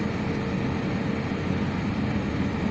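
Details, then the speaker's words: Lada Priora heater blower motor on speed 4, after its worn upper bushing, which caused rustling, rattling and blown fuses, was replaced with a bearing. Steady, even fan rush with a smooth low hum and no rustling; the motor runs healthy. "включил сейчас на 4 скорости работает Не шуршит ничего"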